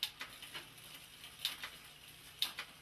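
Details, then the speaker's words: Bicycle rear derailleur after barrel-adjuster fine-tuning, shifting through the gears while pedalling: crisp, light clicks about once a second as the chain steps across the cogs, no chatter or grinding; normal clean gear shifting. "There it is. And you want to hear it move up nice and clean."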